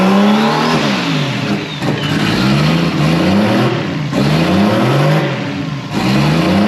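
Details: First start this year of a newly wired RB20DET straight-six in a Datsun 240Z: it fires and runs cleanly, climbing through several quick revs and settling back each time with even pitch, sounding healthy.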